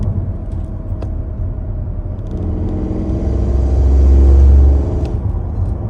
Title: strange noise focus mk4 under load